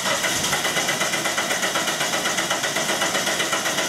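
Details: 1997 Dodge Neon 2.0 L, no-start with P0320, ignition disabled by unplugged coil: even starter cranking about four compression pulses per second, steady speed, no dragging; healthy crank, cam and crank signals present throughout.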